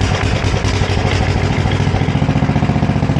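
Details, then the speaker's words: Sears ST10 garden tractor, left sitting outside since summer, first start: a steady, even thumping idle of about three to four pulses a second with nothing unusual; it runs normally, sounding as the owner remembers. "sounds just like I remember it. They're all pretty much the same. Lovely, right?"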